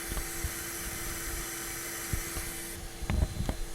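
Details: 2002 Ford F-250 5.4L, engine off, microphone under the passenger-side fender: steady airy hiss with faint low blower hum, air escaping at the exhaust manifold leak that caused exhaust ticks, before sealing with muffler putty.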